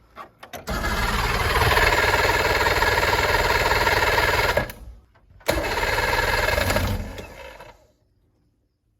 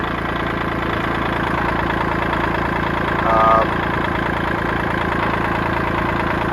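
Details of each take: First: 1980s boat's 125 hp four-cylinder two-stroke engine; three crank-and-catch bursts, each into a strong, even buzz before cutoff; motor sounds solid, though the output shaft can be heard jiggling. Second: 1980s $500 boat's 125 hp four-cylinder two-stroke at a steady idle, with a loose, uneven rattle over it from the output shaft jiggling because of missing bearings; the motor itself sounds solid.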